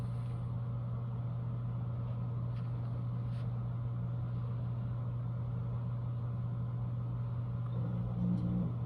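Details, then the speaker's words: Dirty pellet stove after about 5 days of burning, before cleaning: the combustion fan hums constantly through the vents while the auger feeds about every 15 seconds, even and unbroken. This is normal operation. "that was the augur and you can hear the fan so the fan is always going it's coming out of these vents right here listen for the auger so that'll happen every 15 seconds or so that's normal"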